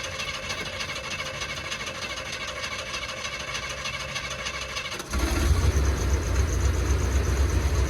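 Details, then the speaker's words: Chevy G30 RV engine just started after alternator swap: catches into a rough idle with dragging rubbing drone; running very hot, belt probably put on the wrong pulley and rubbing. "okay that don't sound [Music] good holy that thing is hot wonder if maybe I got the belt on the wrong part oh yeah that's what it was it needs to go back yeah I got my belt on the wrong pulley I think"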